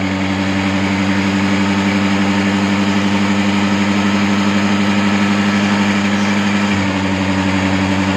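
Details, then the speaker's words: Honda Dio 4G scooter during carburetor air screw adjustment: a steady idle with a low even hum, then revs sag near the end because the air screw was opened too far anticlockwise, leaning the mixture. It will be tightened slightly. Engine speed drop. "अभी गाड़ी की race कम हो गई है। जब गाड़ी की race full होगी उस वक्त हमको इसको छोड़ना है। हमने इसको ज़्यादा ओपन कर दिया, अब इसको हम टाइट करेंगे थोड़ी।"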